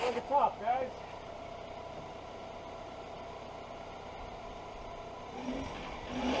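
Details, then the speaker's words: 1999 Toyota Solara that had sat for years, running on old stale gas after ignition switch replacement: quiet, even idle with a steady hum, no stumble, misfire or smoke. "that old stinky gas fired right up super happy with that ain't smoking or nothing"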